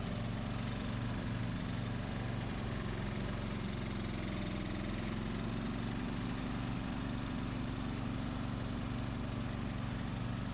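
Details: 2004 Craftsman 30-inch mid-engine riding mower built by Murray, after a new piston and connecting rod and a kill-wire short fix, under mowing load: steady even single-cylinder drone, no rattle or knock; normal running.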